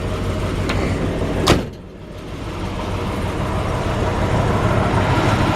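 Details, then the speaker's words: 1961 Chrysler 300G, original 413 cross ram engine, fuel pump audible at key-on, after tank drained and tune-up with carburetors cleaned; door thump then steady smooth V8 running with no miss or knock, fires right up. "you can hear that fuel pump trailer and let's see like up there you go you know you see the windows going up and down things like that engine fires right up"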